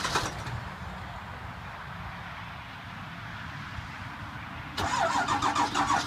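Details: 2002 Ford F-350 7.3L diesel, cold start after sitting about a week: long quiet cranking before it catches and clatters roughly at cold idle; hard start from bad injectors.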